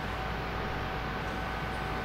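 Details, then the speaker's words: PT Cruiser that overheats with the AC on: the new radiator cooling fan, actuated at high speed with a scan tool, gives a strong even rush of air with a steady motor tone. The old fan had no strength. Normal cooling fan operation. "take a look and listen at this you can hear the difference its strength behind this new fan"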